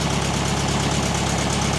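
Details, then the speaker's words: 1969 VW Beetle revived after 25+ years, running after the forgotten distributor rotor was installed: steady, even low throb with no misses or knocks, smooth healthy idle, running like it was fired up yesterday. "That is running like it was fired up yesterday. I'd move that bug. That's unreal, starts right up. So good."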